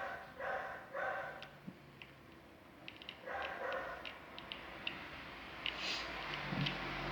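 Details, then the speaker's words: Electrolux microwave plugged in but idle: irregular little high chirps like a small animal, from the failing control-board key buzzer, which must be replaced. "ó tá vendo como se tivesse algum green algum algum bichinho algum fazendo um barulhinho tá vendo e o que que é eu vou falar para vocês é esse buzzer aqui tá"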